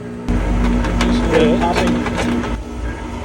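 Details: Pentair MasterTemp pool heater lighting: low gas-burner roar, then irregular sharp pops and cracks as water boils in the heat exchanger because a failed bypass valve starves the heating chamber of water.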